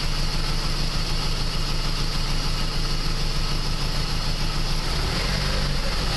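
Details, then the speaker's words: 2001 Chrysler PT Cruiser 2.4 idling with shaking engine and uneven, lumpy exhaust beat: misfire at idle from low compression in one cylinder, suspected burnt valve; new plugs and wires, coil pack believed already replaced. "as you can tell from the shaking of the engine and the sound of it exhaust there's a evident misfire at"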